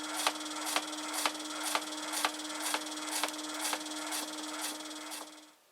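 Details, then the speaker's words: Multi saw blade shredder for 3D-printed parts, 24 V e-bike motor fed 12 V, unloaded, motor mount bolts loose: steady hum with a sharp scrape about twice a second, once per turn; slack, off-centre blades rubbing. "so that's three forward and as you can probably hear and see it's not taught or central"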